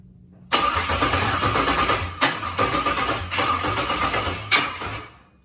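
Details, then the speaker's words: LS-swapped car with 36,000-mile all-aluminum LS engine and adapted 41-year-old wiring harness, first start attempt after priming: uneven cranking surging in bursts, half catching and dying; suspected stuck injector. "You got a stuck injector. It sounded weird. Just give me a little more gas."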